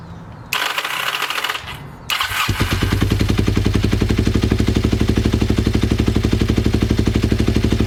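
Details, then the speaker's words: Ninja motorcycle, recently revived, carb sync attempt: catches after a couple of seconds and settles into a lumpy idle of about three beats a second, carbs suspected out of balance; rough uneven running. "okay it looks like we're having some problems fuel is leaking out of the headers this is bad"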